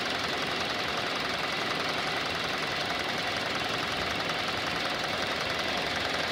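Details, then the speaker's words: 2019 Hyundai Elantra inline 4-cylinder with 7,000 miles at start-up and idle: a fast, even, diesel-like ticking rides over the steady idle and quiets slightly as it runs; source undetermined. "And you can hear it started up. You can hear that ticking. Looks like a diesel noise."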